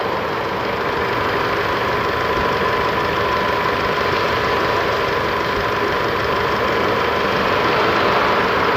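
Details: Isuzu D-Max 4JK1 diesel at 80,000 km, after a repair, left running as a leak test. Intake check shows no blow-by. Steady, even idle with a low rumble and regular clatter, no misses or surging; sounds healthy.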